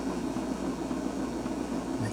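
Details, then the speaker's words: 1978 Fisher-Price children's record player, thrift-store find, switched on before restoration: steady low rumble and rough mechanical drone from the sticky turntable as the platter turns; sounds dry, likely needing lubrication. "here's how you turn it on it's a pretty rumbly uh turntable this is pretty sticky too there it is"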